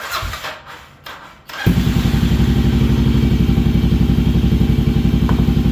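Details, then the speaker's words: Kawasaki KLR 650 single started. It starts after a few cranks and thumps evenly at about four beats a second. It only runs on choke and needs rejetting after moving up 1,000 ft. Healthy running on choke. "All right, it runs. Only runs with the choke, so obviously we got to do some jetting because I went up 1,000 feet, but here you go."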